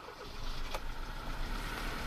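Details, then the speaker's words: 2015 Kia Soul 1.6 GDI, 152,000 miles, no codes: starts but idles very rough and barely keeps running, no response to throttle, stalls; short-term fuel trim -25, little intake vacuum; clogged catalytic converter. "It's running really rough. And, oh, it can barely keep running."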